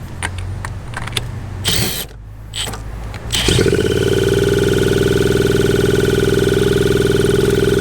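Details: 1981 Suzuki TS250 two-stroke, long parked, B8S plug, choke being taken off: after clatter it catches and races to a high steady scream without settling; runaway revving, cause unknown.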